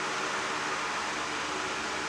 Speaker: it's a little dusty but i'm still using it and it still runs pretty strong